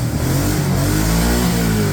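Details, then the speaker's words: Kawasaki Prairie 650 ATV that sat for 8 years, after water-contaminated gas was drained from the carb and clean gas filtered through. A steady, even single-cylinder beat with no misses or stumbles; it runs properly again and the cooling fan kicked on. "it's running like it's supposed to again so and the fan kicked on"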